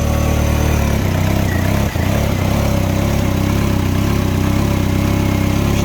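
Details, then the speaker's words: Mini Cooper after cylinder head refit and just-replaced part, before VANOS adaptation: engine idles smoothly and evenly, steady low hum, no vibration or stumbles. "she's she should be running fine now i've just just literally just changed it sounds loads better you go it's not vibrating or nothing"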